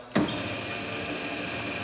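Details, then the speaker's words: 2000 SCMI Sandya 3 37-inch wide belt sander with auto-calibrating table height: a soft, even motor hum as the table raises and lowers, with no grinding, clicking or strain. Normal, quiet height adjustment. "as you can hear it's dead quiet as it raises and lowers"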